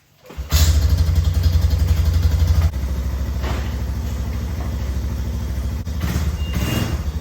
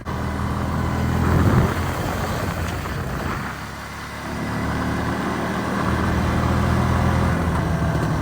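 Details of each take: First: 2001 Yamaha BearTracker 250 single-cylinder ATV that sat for a couple of years, with an intake boot vacuum leak temporarily sealed with duct tape. It fires up and settles into a steady, even thump with no hunting, now running much better. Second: 2001 Yamaha BearTracker 250, sat a couple of years, on a test drive: single-cylinder idle sags and wanders, dipping near stall before recovering. Won't idle; vacuum leak at the intake boot, which needs replacing.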